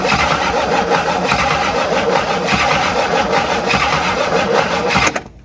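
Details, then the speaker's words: Abandoned 1958 Super engine spins steadily about five seconds but never catches; fuel pump not delivering even after priming the line, owner suspects it dead and needs a new pump. "i wouldn't be surprised if this pump was dead whatever uh advanced ah no fuel"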